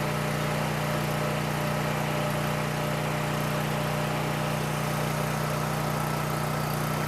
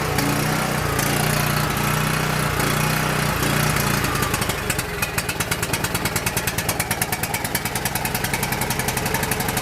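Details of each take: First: Coleman Powermate 6560 generator, after the fix for running only on choke (carburetor gaskets had been in the wrong order; oil was overfull and smelled of gas), under load: constant, even drone at a fixed pitch, no surging or hunting; normal running. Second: Coleman PowerMate 6560 generator with rebuilt carburetor, half then full choke: runs roughly, surging, then a rapid popping beat about three per second; suspected carburetor gasket or throttle bushing air leak.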